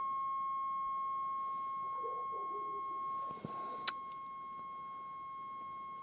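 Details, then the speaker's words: GEC BC505 1960 transistor portable, long wave alignment: signal generator at 220 injected, dial tuned near 1364 on long wave, ferrite aerial coil L3 trimmed for maximum output; pure steady whistle near one kilohertz from the speaker barely shifting as trimmed. "the last part is to do the long wave alignment, which is 220 on the signal generator, so we'll pitch that back on and change the range and go for 220 and switch the set on onto long wave and tune the scale to 1364 on the long."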